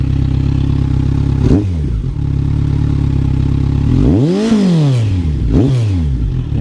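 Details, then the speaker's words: 2020 Kawasaki Z1000R Edition fitted with a short, wide-bore SC Project mid-pipe exhaust, blipped three times in a sound check. Quiet at idle, louder as revs climb, with a light metallic clatter like something rattling. Exhaust rattle. "Pero pag ibumbahin mo siya, yun, umiingay siya. Parang may kumakalansing."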